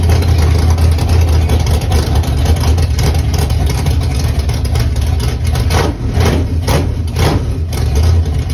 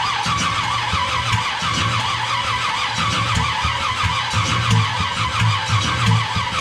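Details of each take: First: Chevy small-block nitrous drag engine, first start, cold, headers unfinished, good oil pressure: deep, steady V8 idle with a smooth, even lope and no knocks or ticks; normal idle. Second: Small-block Chevy V8 nitrous engine on first start, after the distributor was advanced: loud roar with rough, uneven popping and sputtering as it fights to run, sounding like it's blowing out; misfiring, cause unclear.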